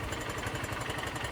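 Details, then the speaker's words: 2020 Honda CB Unicorn, about 85,000 km, idling on its single cylinder after a carbon-cleaning treatment. A fast, light metallic chatter remains, though somewhat reduced. A loose timing chain is slapping and needs tightening. "వాస్తవానికి అది timing chain నుంచి వస్తుంది ఆ noise. Timing chain తగులుతుంది, loose అయ్యి తగులుతుంది."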